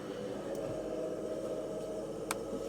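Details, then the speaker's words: BMW 650i E64 N62 V8 road test after replacing gearbox mounts, driveshaft flex disk, RH motor mount and diff bushing: smooth even road hum at steady speed, no driveline knocks or clunks; previous clonk gone. "So, ladies and gentlemen, not a clunk in the world. Some of us got cars that clunk and some of us got cars that don't clunk."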